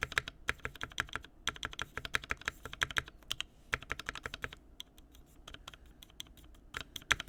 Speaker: no rattle we're good